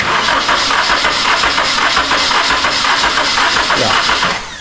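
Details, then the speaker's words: Nissan 240SX SR20 with a problem cylinder, compression test with the spark plugs out. The starter turns the engine at an even, steady rhythm of about four beats a second. This cylinder reads healthy, so it is not the problem cylinder. "yeah so this one's good so problem cylinder easy this tool makes it easy diagnos engine damage"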